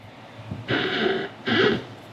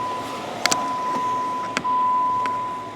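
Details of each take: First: 2014 Jeep Wrangler Unlimited Sahara: two squeaky, creaking groans as the brake pedal is pushed, suspected from a dry Teflon bushing at the pedal pivot, to be sprayed with lubricant. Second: 2014 Jeep Wrangler Unlimited Sahara brake pedal worked with engine running after spraying: quiet with a few soft clicks, former squeak gone.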